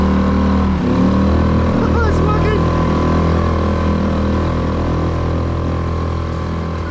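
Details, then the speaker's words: Small sailboat outboard that had not run for nearly six months, after the hard-start problem was fixed and the propeller refitted: an even, steady drone with constant pitch and no misses or knocks while holding gear. It runs cleanly. "that is amazing i could not have done i can't believe that's working that engine that engine hasn't run for nearly six months"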